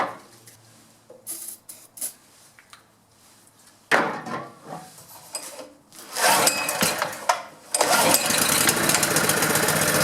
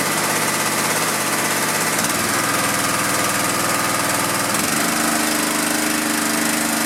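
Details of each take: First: Honda GX pressure washer engine that sat about 10 years, on choke. It catches and coughs unevenly for a few seconds, then dies, acting like it isn't getting fuel; the owner suspects a carburetor clogged from sitting. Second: Honda GX pressure washer engine that sat 10 years, after carb cleaning, fresh fuel, coil re-gap, magnet cleaning, oil changes and pump mounting. A steady, even buzz that settles lower when the load changes; it runs clean with no misses.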